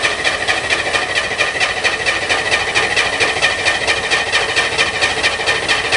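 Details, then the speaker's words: Spyder on a cold, rainy late-spring day, with a four-barrel carb, electric fuel pump and choke held closed: even, fast starter cranking at about two beats a second that never catches. Cranks but no start; the owner doesn't know why. "huh should have started junk i don't know what's wrong"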